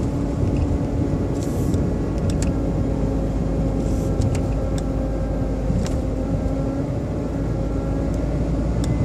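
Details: BMW 120i E87 engine running: a steady low hum-like whine keeps the same pitch over the rumble. It was not fixed by an oil change, and the owner thinks it comes from behind the air cleaner box. Source unclear.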